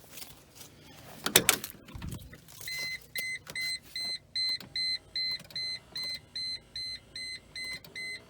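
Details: 2005 Mercedes G500 G-wagon power headrest, previously intermittent with the relay clicking but no movement, after contacts were treated with dielectric grease. After handling noise, the small motor whirs in short even bursts with a steady chime: headrest now working normally.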